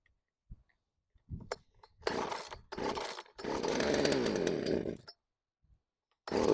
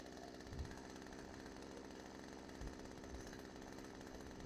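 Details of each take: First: Craftsman chainsaw that sat outside for years, revived, cold start: several starter-cord pulls, then it catches and revs up smoothly into a steady high buzz; starts and runs cleanly, normal cold start. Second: Craftsman chainsaw left outside for years, freed from a stuck state and revived: small two-stroke buzzing at idle with slightly uneven beat; air drawn past a leaking crank seal causes the inconsistent idle and bogging.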